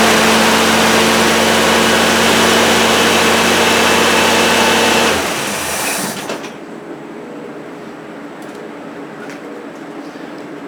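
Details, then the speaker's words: 1973 Plymouth Duster 225 Slant 6 after fitting a 350 cfm 2-barrel carburetor and resealing the manifolds with RTV: fast, steady idle, no exhaust ticking or puffing, then shutoff; idling too fast, no exhaust leak. "That is a lot better. No exhaust leaks. It's idling way too fast, but I'll handle that."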